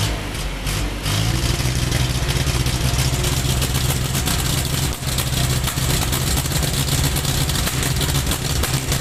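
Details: Isuzu Reward truck, 4HG1 diesel engine runs rough with an uneven, lumpy beat that never settles into a steady rhythm; engine misfire, sounds like a misfiring cylinder.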